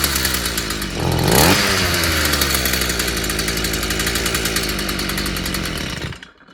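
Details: Stihl FS 55 brushcutter that kept dying and wouldn't start despite new plug and carburetor, after clearing a clogged exhaust: revs up crisply, then steady even buzzing run before shut off; running properly.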